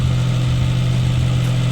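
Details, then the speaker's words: Suzuki Samurai engine on MicroSquirt 3.0 ECU, AFR map tweaked, idling almost at operating temperature, first time up to temp in two and a half years: steady, even low drone, no misses, knocks or hunting; normal idle. "So, I replaced that and I have everything uncovered right now, but I've been idling it. Nothing's melting. Nothing's trying to catch on fire. It's almost up to operating temperature."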